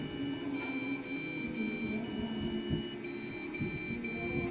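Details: PC that won't turn on, beeping non-stop: a steady run of short high beeps, roughly two a second; the PC is failing its power-on check.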